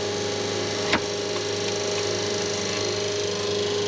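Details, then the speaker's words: Schenker Zen100 solar-powered watermaker on first startup, running at six bar, building toward six to eight bar: smooth, steady low hum with one brief click, no knocking or rattle; normal pump running, quieter than the previous unit. "donc ça va bien en ce moment ça sonne bien, tout fonctionne bien, la pompe est très fluide, je dois admettre qu'elle est très silencieuse par rapport à la dernière que nous avions"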